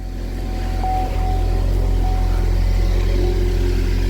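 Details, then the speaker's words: 2012 Chevy Equinox/Terrain after an engine install and junkyard exhaust system swap settles into a steady, even idle with a deep exhaust note; normal idle, no exhaust leaks. "yeah sounds 100 times better [Music] yep i hear no exhaust leaks so i'm happy"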